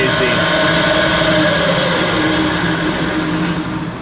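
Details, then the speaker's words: 20-inch three-phase Clausing drill press in high range, before bearing replacement: loud, rough, gritty whirring from the upper pulley mechanism; worn bearing, only slightly quieter after a few drops of oil. "yeah I'm pretty sure the noise is coming from right there and if I go into high that's really noisy"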